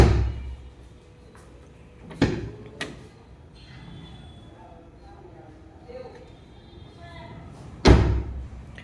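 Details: Tata Tiago door closing before fitting gap filler tube into rubber seal: several light hollow thuds with quick rattle rather than solid thump, from incompletely sealing door.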